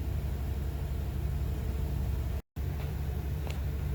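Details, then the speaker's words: Winnebago Voyage 38J RV, 8.1 Vortec with 150-amp alternator, at idle after a Li-BIM225 connected three lithium house batteries: the alternator puts 92 amps into the batteries and the engine pulls down audibly to a steady, laboured rumble but holds its speed; normal under heavy load. "So right now you can hear the engine pull down some from the alternator. So the alternator's throwing in 92 amps into that battery."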